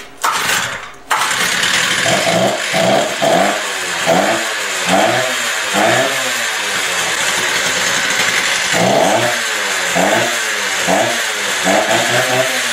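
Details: Stihl TS350 cut-off saw after engine rebuild and idle screw adjustment, air cleaner and filter not yet fitted; blipped about once a second, each rise picks up briskly but stumbles slightly before catching, a mild bog off idle; carburetor further adjustment deferred.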